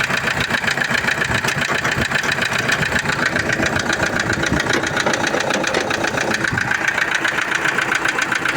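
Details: Toyota Innova diesel at idle and revved: hard, steady tek-tek knock about four per second low in the engine; no check-engine light, oil pressure normal; suspected lower-end metal/bearing wear, unconfirmed.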